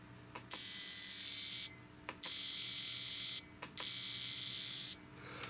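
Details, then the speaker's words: 2004 Chevy 2500HD misfire repair, cheap Amazon aftermarket fuel injectors pulsed on the bench, off the engine: three harsh, high-pitched one-second buzzing bursts with quiet gaps between them. "I put them off to the side kind of listen to the noise I guess not that it matters"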